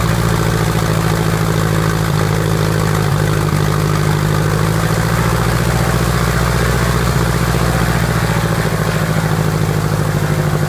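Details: Piper Apache piston aircraft engine, first start after rebuild: steady even low drone at low speed, smooth firing, no misses or knocks; normal idle.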